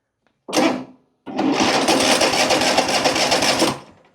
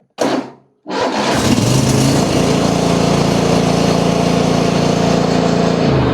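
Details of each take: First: Riding lawn mower, no-start check without choke: a short crank, a pause, then fast harsh buzzing chatter for about two seconds with no start; abnormal cranking noise, though it starts fine with choke. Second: Single-cylinder lawn mower after repair, started on choke (no start unchoked): short crank, then strong steady run that eases down and picks back up on the throttle; running properly.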